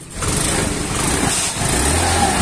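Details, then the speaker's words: Honda scooter idling after a gearbox rebuild in which the bearings and pulley shaft were replaced: a rough hum with a thin whistling whine from the rear gearbox. The rear wheel also drags. "Nah itu ya teman-teman, jadi suaranya itu nyuling. Jadi selain suaranya nyuling, ini rodanya juga seret nih."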